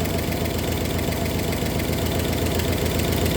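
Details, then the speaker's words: 1964 Oldsmobile 394 V8 just after cold start with fast idle cam kicked down: steady idle with a light, fast, even ticking from low in the engine, three to four per second; lifter tick, later develops into a knock. "here starting to chck now hear that tick tick tick tick tick tick from down"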